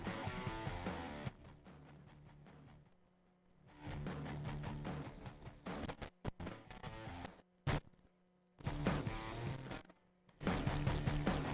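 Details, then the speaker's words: Phonic 1805 mixer, channel 11/12 playing music before fader replacement: sound cuts out abruptly several times for fractions of a second; intermittent dropout, suspected bad fader or faulty button. "Now let's listen to 11/12, so there is the same problem with the sound skipping, either the fader is really bad, or there is a problem with the button."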